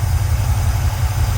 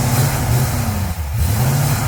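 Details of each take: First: Pontiac 350 V8 in a Le Mans after rebuilding the 750 carburetor, cleaned of debris from a blown-up 455 in the intake: smooth, even low idle rumble, no stumble or popping; normal idle. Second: Pontiac 350 V8 in a Le Mans on a sat, dirty 650 carburetor with a clogged vent tube: revs surge then sag and fall back each time as if starved of fuel; carburetor fuel starvation.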